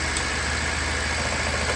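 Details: BMW 750Li at idle after installing new BMW PCV parts to cure a whistling: smooth, steady idle with an even low pulse and faint hiss under the oil cap, normal vacuum-pump noise for this car; healthy idle.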